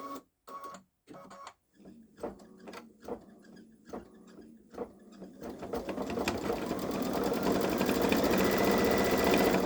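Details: Baby Lock Solaris embroidering a Christmas train design on a sweatshirt with medium-weight cutaway stabilizer: slow stitches build into fast even chatter, about four per second, with a faint thin squeak; owner wonders if a different embroidery foot would help.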